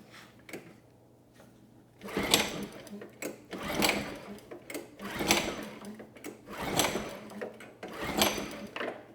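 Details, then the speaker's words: Generac G1000 750 W generator, no history, ignition on, fuel valve turned, choke on then off: five recoil pulls spinning without firing; no signs of life despite enough fuel in the tank; carb needs removal and cleaning. "choke off unfortunately we get no signs of life so yeah I would say that carb needs to come off and be cleaned"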